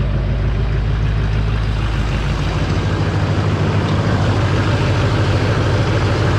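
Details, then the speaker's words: Duramax diesel in a parts truck, started on a borrowed battery, with a check engine light for the turbo vane position sensor and glow plug; steady, even low diesel clatter at idle with no misses. "thing runs real smooth"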